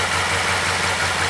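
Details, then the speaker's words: 2012 Chevy Caprice PPV 6.0 V8 started after repairing damaged camshaft position sensor wires (P0340, P0341) following a DOD delete, codes cleared by the battery disconnect: smooth, even idle with a steady low rumble, no misses, ticks or knocks, running fine. "okay start it up and it's running fine"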